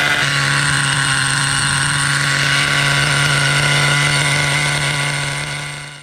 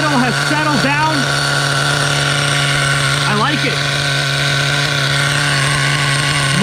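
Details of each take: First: Vintage Schumacher Menace 21 nitro RC truck, just started, running on nitro fuel: steady fast buzzing idle that won't settle, carburettor idle set a little high; idle set screw then lowered and idle settled. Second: Vintage Schumacher Menace 21 nitro truck after lowering the idle with the idle set screw: steady, even buzzing idle at constant pitch with no hunting or surging.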